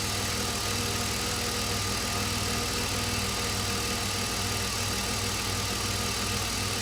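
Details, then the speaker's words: BMW E46 330i M54B30 at idle after replacing worn water pump and fixing DISA valve: steady even idle, smooth regular beat, no loud rattle; water pump and DISA rattles gone, not perfectly quiet but normal. "okay so this is what the engine sounds like now a lot better I wouldn't say it's perfect but the big rattle coming from the water pump that one is actually gone"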